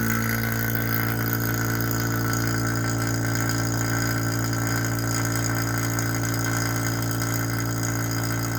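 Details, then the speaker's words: Vacuum pump evacuating the overhauled original R12 AC system of a 1985 Mercedes 300TD W123 wagon, meant to run 45–60 minutes pulling to about -28 to -30 inHg: a constant low drone and steady hum, no rattles, surging or grinding. Normal operation. "we're going to turn on this vacuum pump right here and let that run for like you know 45 minutes to an hour and you're going to see it's going to suck down the needle to -30"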